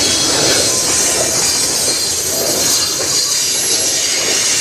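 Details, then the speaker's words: Passing CN freight train in Sarnia, Ontario: loud continuous high-pitched squeal with faint wheel clatter as the cars roll past, a squealing car; cause suspected, not confirmed. "what that sounds like very squeaky squealy wow did they not turn off any"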